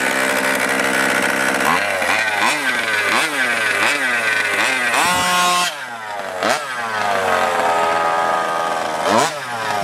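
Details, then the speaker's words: Losi 5ive-T two-stroke engine just rebuilt with new piston and ring, taken easy while seating in; buzzes high and clean, revving up and falling back with crisp throttle response. Runs pretty good, rebuild hopefully successful. "But it seems to be running pretty good. Another successful engine rebuild, I guess."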